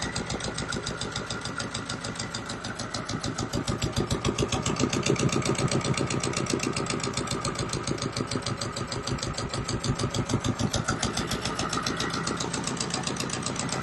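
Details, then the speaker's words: Repaired Volvo Penta 2002 fresh-water-cooled marine diesel from a 1987 Pied Piper 28 sailboat, idling at 800 RPM, warm, pumping water, not running hot: even, steady beat about three and a half pulses a second, no misses; healthy. "800 RPM so that's good I'm doing good the Pop's water good not running hot at all for some reasonable temperature"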